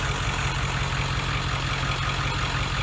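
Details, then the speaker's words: 7.3 turbo diesel in an old bus with a 50-gallon tank, after a gallon of injector-cleaner fuel stabilizer was added: a steady, even, smooth low idle rumble with no knocks or misses. Normal idle, running really nice. "the old bus sounds like it's running really nice. That's a 7.3 diesel, turbo diesel."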